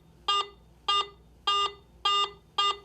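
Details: Garrett AT Pro metal detector in standard mode: five short, evenly spaced mid-pitched beeps, the mid-tone of three tones reporting a target by metal type and conductivity.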